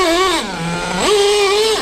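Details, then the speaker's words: Restored Traxxas T-Maxx with OS .21 nitro engine, slightly warmed, moderate driving on track: engine shrieks up, sags, flares again without settling under load; owner suspects slipper slipping or clutch not grabbing well. "oh yeah either the slipper is slipping or the clutch is a little I would say not grabbing too well"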